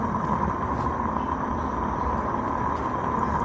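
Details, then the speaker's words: Live steam model locomotive gas burner just lit, smoke box door closed, heard through a listening tool: steady even roar with soft tone, no sputtering or popping; burner lit properly, no rumble would mean fire out. "If you don't hear that low little rumble inside, turn the gas off. And you're going to have to relight because the fire went out."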